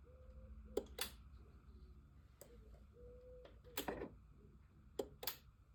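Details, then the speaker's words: BMW R1200C motorcycle at key-on: no usual fuel pump whirr, just a few sharp clicks from inside the tank; relays and fuses swapped with no change; failed fuel pump. "And there's definitely that clicking sound that we can hear is coming from inside of the tank."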